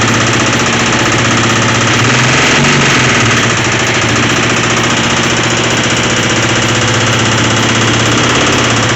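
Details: Motorcycle (one of a pair of twins) revived after sitting, now starts and idles: loud idle with a constant metallic rattle and knocking, roughly three to four a second; source unknown, couldn't tell where it comes from.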